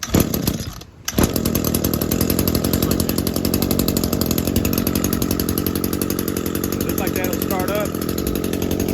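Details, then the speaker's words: ECHO SRM-225 gas two-stroke weed eater after priming and a choke pop, lever moved to run: fires almost instantly with a little throttle and holds a steady, buzzy drone with no misses or surging; runs healthy. "There you go, give it some gas and it'll start. There you go."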